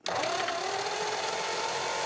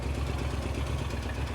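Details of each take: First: 1935 Ford 5-window coupe, flathead V8 parked about 50 years, cranked in gear with spark plugs out, 6-volt starter: fast, even high starter whir with no compression beats; valves seen stuck open on most cylinders. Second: 1935 Ford coupe flathead V8 parked about 50 years, first runs at 11°F: low, soft, even burble with steady firing and no knocks, not very smoky, slight blow-by, idle turned down slow; healthy running.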